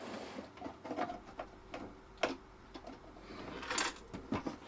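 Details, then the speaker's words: Keithley 2002 8.5-digit multimeter received for repair, being tilted before opening: irregular light clicks and rolling rattles of a loose part inside the plastic cover, suspected loose screw; the voltage reference has come loose inside. "Did you hear that rolling around? Yeah, that's definitely why I've got to open it. What's rolling around? Sounds like a loose screw, actually."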